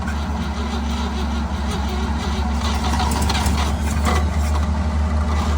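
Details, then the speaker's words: 1955 Chevy 3200 truck sitting 50 years: even starter churning at about three beats a second never fires; cranks but won't start because the carburetor delivers no fuel. "One more. Uh-oh. I got nothing. I did. I filled the tube. It's not squirting anything. I can just hear it squirting air."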